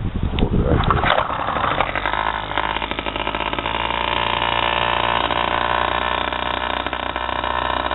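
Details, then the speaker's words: 3 hp two-stroke air-cooled sailboat outboard after carb repair (plugged fuel filter cleared, missing float piece pop-riveted), on choke: a few rough catches then steady buzzing run; starts and runs fine. "Alright guys, there it is, it's running."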